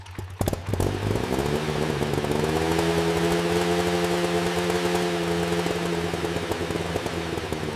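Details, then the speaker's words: 1981 Suzuki GT250 X7 two-stroke twin, barn find after full rebuild: uneven lopsided idle with thin hollow exhaust note, left cylinder dead, running on one cylinder. "And as you can hear and see, we've got a serious issue with the left cylinder. It seems we're only running on one cylinder."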